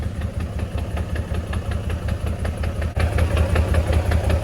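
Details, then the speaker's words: Infiniti G35 just after a five-month rebuild: steady knock about three times a second over a low idle rumble that doesn't smooth out; owner suspects the clutch or drivetrain, unconfirmed. "I just started hearing this noise real quick, so we definitely have to get that checked out. This does not sound good at all."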